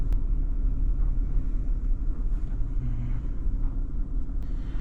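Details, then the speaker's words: 2012 Chrysler Town and Country at idle in gear, shaking the whole car: low, uneven rumble with an irregular lumpy pulse; codes P0300 multiple-cylinder and P0302 cylinder 2 misfire, with no check engine light and coil packs recently replaced. "Sitting here at idle, it definitely, with it in gear, it's rough. It's shaking the whole car."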